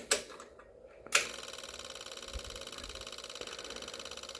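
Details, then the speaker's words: Yamaha V-Star 650 Classic, replacement fuel pump priming after new fuel lines: rapid, even ticking at steady rate, preloading then building pressure, apparently no leak; normal fuel pump priming. "let's prime it kicking on that pre-loaded for a while good I don't think this one's leaking definitely getting fuel"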